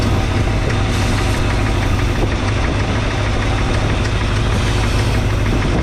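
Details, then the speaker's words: 1962 Chevrolet C10 carbureted engine, first driveway run after idle raised, cold with thermostat not yet open; heavy, uneven chugging idle with stumbles; rough idle, owner suspects one or two bad old spark plugs, not yet changed. "I still haven't changed the spark plugs, so don't be too alarmed about it running rough. Those spark plugs are probably, maybe one or two of them are really bad."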